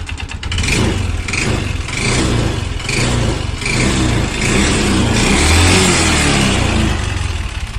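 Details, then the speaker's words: Yamaha Xeon RC 125cc automatic scooter with a harsh, rattly engine note rising and falling with throttle over an uneven clatter. Oil dryness suspected as the cause; rough engine noise. "Oke teman-teman, ini adalah motor Yamaha Xeon RC 125cc yang mengalami suaranya kasar ya teman-teman, seperti yang telah kita dengarkan sebelumnya."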